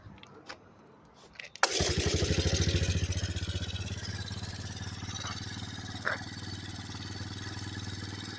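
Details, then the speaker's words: Kawasaki KLT160 mini Prairie Dog ATV, revived after years sitting, after removing the shrunken restrictive intake tube and servicing the cap: a few clicks, then it catches and settles into a steady, even idle with no misses or surging. Idle is perfect. "But so I took this off, and I also serviced this cap right here, and then now it runs perfect."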